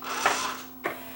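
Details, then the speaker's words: Yamaha CDC-705 CD changer after drawer belt replacement with a non-original belt: two short mechanical clunks over a steady low motor hum, no slipping or labouring. Normal, naturally noisy drawer operation. "These things are noisy, these machines, when they open. When they open and close, these things are relatively noisy anyway, so I'll put his discs in."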